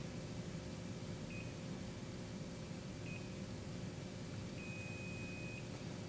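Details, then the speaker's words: Daikin RA split-system indoor unit in fault-code retrieval mode (cancel button held 5 s, then pressed repeatedly): two short high beeps, then a long one-second beep that marks the active fault code. "now that we have our long beat we have identified the active code"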